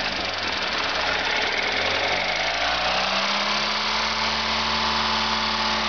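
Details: VW Golf 4 1.4 engine with a noise problem: engine note rising and falling with light revving, with a faint irregular tapping over the hum; some noise present, cause unclear.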